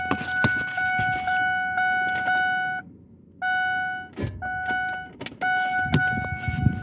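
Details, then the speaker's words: 2003 Ford Explorer Eddie Bauer that won't start: sharp, hard clicks with each key turn and no cranking at all, over a steady warning chime; radio and electrics all work. Cause unknown, owner seeks help. "It won't start, or I'm thinking, hell, it's not even turning over either. It just makes this hard clicking noise."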